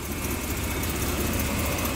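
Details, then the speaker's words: 1998 Chevy Blazer 4.3 V6 with a new timing chain and new motor mounts, running again after a rebuild: steady idle with a faint puffing tick over the low rumble, an exhaust leak. "brand new motor mounts I put on it now you can hear the exhaust leak over here"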